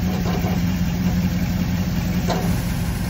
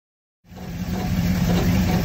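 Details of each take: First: Crusader 8.1 marine inboard with aluminum transmission, after fixing a misfire caused by loose plugs and a brittle plug boot: low, steady idle with hardly any of the earlier transmission rattle. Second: Crusader 8.1 inboard engine in a 31 Tiara boat with aluminum marine transmission: idling low drone, slightly uneven, with light rattle resonating through the transmission, actually a cylinder misfire commonly misdiagnosed as transmission failure.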